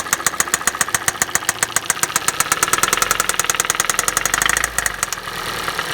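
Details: Hyundai i40 2.0 petrol automatic at 60,000 km: sharp, even metallic tapping several times a second over the idle; a strange engine knock, cause not yet identified.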